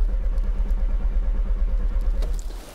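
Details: Audi TT Mk1: steady rhythmic starter churning about three turns a second, never catching, no start; fuel pump unplugged, owner doubts the pump since it is not heard priming at ignition-on.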